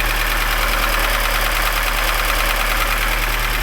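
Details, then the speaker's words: Lada Niva petrol engine idling after a full rebuild (chain, valves, head, pistons, crankshaft, block): loud steady knock about three taps per second, far louder than normal Zhiguli valve chatter; cause not yet known. "Но этот стук слишком большой, слишком велик."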